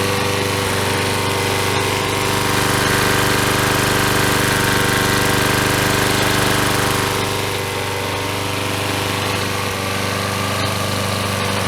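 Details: Troy-Bilt self-propelled mower with 6.75HP Briggs & Stratton engine after replacing broken intake tube, carburetor throttle linkage and out-of-balance blade; single-cylinder holds steady, even governed speed with no misses or surging, running properly.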